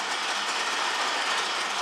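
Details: 1976 Pontiac Firebird Formula power window, after cleaning the nearest terminal with emery paper, engine running for full battery voltage; steady even motor whir with no clicking or stalling, window now moves down smoothly.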